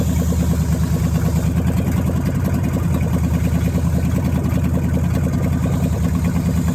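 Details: Dodge Challenger V8 after replacing rich-fouled spark plugs and adding vacuum hose to Terminator X fuel injection, hitting 13.8 AFR target: steady even idle, deep low rumble, no misses or stumbling; running clean.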